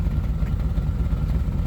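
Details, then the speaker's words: 1989 R30 square-body V8, warm after 10–15 minutes, holding about 5 psi oil pressure, cat-only exhaust. Idle is slightly uneven with an occasional weak exhaust beat, a light misfire. Owner suspects the distributor cap and rotor, not yet replaced. "sounds like I still might have a little bit of a mess the rotor I haven't pulled the cap and rotor off yet probably replace those next"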